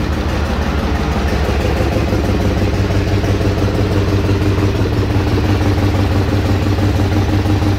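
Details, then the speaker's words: Trailblazer 5.3L V8 after DOD/AFM delete, exhaust pipe leak welded: steady, even idle with a constant low hum and no knocks, ticks or stumbles; runs smoothly. "Everything's nice and smooth."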